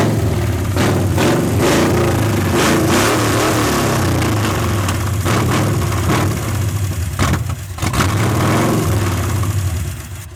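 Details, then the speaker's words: 1981 Ford Mustang 302 V8, automatic, open headers, 14-year-old oil, about 50 psi, no radiator, long parked: loud rough running with busy uneven ticking; lifter chatter suspected from unpressurized lifters, a flat cam lobe possible but doubted. "has quite a bit of lifter chatter, which isn't a bad thing. It hasn't been ran for so long."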